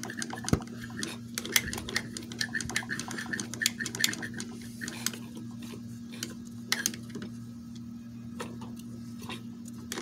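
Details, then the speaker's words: Magnum XL 1.20 four-stroke model engine, still hot right after dying at full throttle with smoke, turned over by hand: irregular sharp clicks with a faint squeak; squeak stops when cool; owner suspects overheating or too-tight valves. "for now with moving the engine over by hand I'm starting to hear this like quite a bit of obnoxious um C uh squeak or clicking noise"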